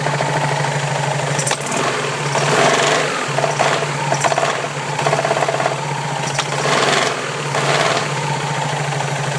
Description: Посторонние шумы при работе вариатора макси скутера Yamaha Majesty 400.